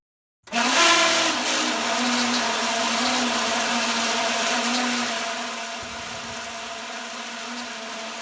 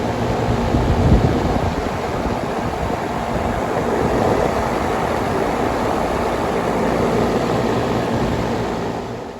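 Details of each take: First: Carrier home AC outdoor condenser fan: loud harsh shriek with rattling metallic edge over steady hum, fan struggling to turn; caused by the fan blade, fixed by replacing the blade. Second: Carrier home AC outdoor unit after replacing the fan blade (original motor kept), steady smooth whoosh and hum, no previous shrieking or metal clinking: normal condenser fan hum.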